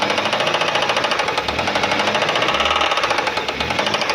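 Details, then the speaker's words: Engine with oil warning light on and loss of power; rapid, hard, evenly spaced knocking from the front of the running engine, described as the piston knocking, which requires opening the engine. "Só que aqui na frente ainda tem o barulhinho, ó. Pouquinha coisa. Aí tá batendo o pistão, né?"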